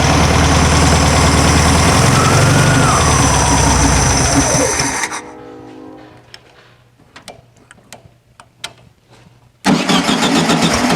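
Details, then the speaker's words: 1974/75 VW Super Beetle after new Pertronix electronic ignition install, plug wires reset, timing not yet set: engine catches and revs unevenly, dies to starter clicks, roars back, stumbling; owner suspects a small vacuum leak from removed airbox, starter sounds unhealthy. "I got a vacuum leak when I took off the airbox uh yeah I didn't think the one this small would affect it but it seems like it is"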